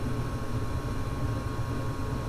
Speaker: so you can see it's fired up and you can see the flame sensor right there so if the flame sensor was having a problem it would then turn right back off but it's working fine uh so we're good to go